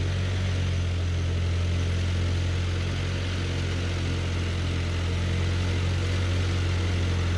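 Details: John Deere No. 5 sickle mower on a tractor PTO cutting grass: steady low tractor drone under even working load, no clanks or binding; it cut perfectly fine, mowing normally.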